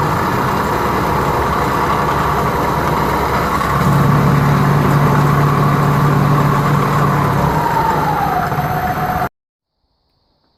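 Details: Restored circa 1959–1960 Powermatic Model 90 wood lathe with new motor, wiring and variable frequency drive feeding a Reeves drive via an added jack shaft on 5/8 in greaseable bearings: steady motor hum and smooth belt whir, pitch easing slightly near the end, no knocks or rubbing; healthy.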